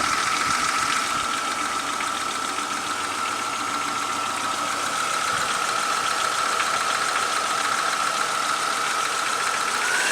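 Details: 2001 Chevy Lumina 3.1 V6, original engine, 188,000 miles, 5W-30 Royal Purple plus half quart Lucas oil, cold start: light uneven knock about three beats a second under a steady high whine, quieter when warm; owner suspects piston slap or lifters, unconfirmed.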